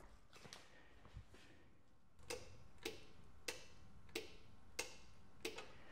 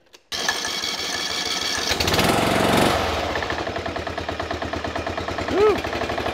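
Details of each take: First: Briggs and Stratton Intek single-cylinder OHV engine during carburetor replacement, ignition key on, camera near the shut-off solenoid: crisp metallic clicks about every two-thirds second; fuel shut-off solenoid working normally. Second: Briggs & Stratton Intek 16 hp single-cylinder OHV engine just started cold on choke after carburetor replacement: low uneven idle with a hard rapping knock under the beat; pretty bad rod knock.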